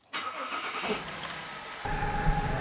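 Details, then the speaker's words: Holden VZ Commodore with P0201 injector circuit code and intermittent idle miss, cold start: catches and settles into an uneven stumbling low rumble, one cylinder dead; Pico scope shows ECM injector driver apparently failed, no back EMF. "I have reconnected my Pico to the voltage and negative pulse from the ECM, and I think the driver has been taken out. So I'm just going to start it up while it's cold."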